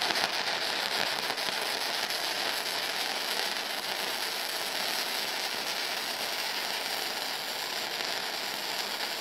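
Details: Firepower FP-200 flux core welder, second test weld on eighth-inch plate at low end of recommended settings: steady, even bacon-frying crackle without pops or gaps; consistent arc, bead judged slightly on the hot side.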